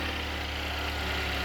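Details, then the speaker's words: 2015 Chevrolet Equinox 2.4L after timing chain repair for a fuel pressure regulator code: low steady even idle, no ticking or rattle from the front of the engine; much quieter and smoother. "A lot quieter, a lot smoother. Everything hit together."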